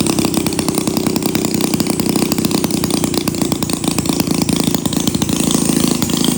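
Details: 1937 Maytag Model 92 single-cylinder two-stroke engine, revived: rapid, crisp popping exhaust beats at an even pace. Firing cleanly and running healthy.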